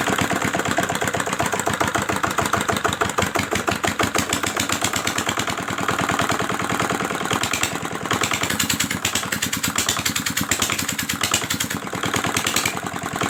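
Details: R175 single-cylinder diesel engine after crankshaft broken bearing repair: even rapid knock with steady beat, no uneven clatter or rattle; normal running.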